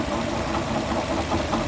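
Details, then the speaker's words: 2012 Chevrolet Sonic at idle, checked with stethoscope: faint repeating knock over the engine that disappears with the serpentine belt removed; water pump bearing apparently failing, pump to be replaced. "Bueno ahí como se ve parece Aparentemente la bomba de agua ahí es el golpeteo que se escucha bueno se va a tener que reemplazar la bomba"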